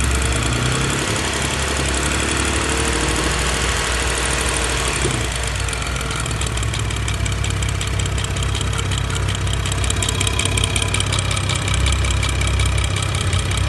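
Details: BMW N55 engine catching and settling to idle, not revved. A light, uneven knock rides over the running note. The source has not been identified.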